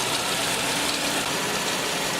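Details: 1996 Nissan Altima 2.4 L after distributor reinstall and new valve cover gasket fixing oil leak at thermostat housing, retest: steady, even hiss and hum at idle, no knocks, misses or ticks; engine healthy.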